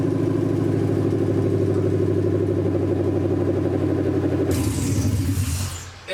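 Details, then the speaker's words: 1979 Ford Bronco with Gen3 Coyote V8 swap (2020 engine, 10-speed auto), low miles, first test fire on temporary bucket fuel feed, no coolant: deep even V8 burble at steady idle, then opens up with a rush; runs clean, normal. "but this engine sounds fantastic it's got real low miles and I'm excited because I can start to wire it up permanent"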